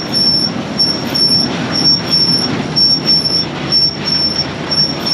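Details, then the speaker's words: Barn-find Massey Ferguson 300 combine being prepped to pick corn, running: a loud, steady high-pitched squeal pulsing about once a second; owner suspects a bearing, possibly the one behind it. Cause not confirmed. "what is the deal that sweet holy cow why did be R could be that bearing or the one behind that the bearing's in it still"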